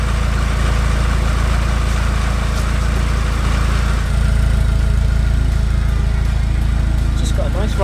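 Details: Peugeot 306 Meridian 2.0 HDi with new custom stainless exhaust with extra silencer boxes, engine bay damp from rain: deep, even exhaust rumble with a steady low thrum and no knocks or misses; normal diesel idle.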